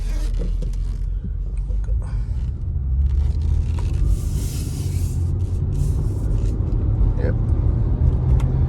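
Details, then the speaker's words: 2003 Honda Accord 3.0 road test at cruising speed after replacing rear wheel bearing and hub assembly, formerly loud noise from left rear; steady low road rumble, no growl or hum, noise gone, quiet wheel bearing. "Okay, so right now I don't hear no noise. Let's see. All right. Alrighty, so no noise, guys. So we fixed the problem."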